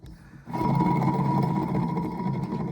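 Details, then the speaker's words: Kenworth T600 semi truck alternator removed and spun freely: rough, gritty rumble with a thin ringing whine from badly worn bearings; alternator being replaced. "Got the alternator off. It's over here on the back of the truck. And you can tell how bad the bearings are in it. You can hear that."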